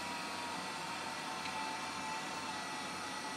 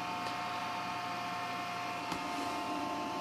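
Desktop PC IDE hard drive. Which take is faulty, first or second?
first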